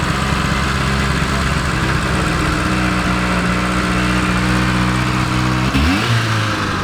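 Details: 1980s Rover 213SE petrol, rusty restoration project, idling smoothly and evenly after start with a nice exhaust note, no knocks or misses, settling lower near the end; exhaust was blown and holed throughout when bought; normal healthy idle.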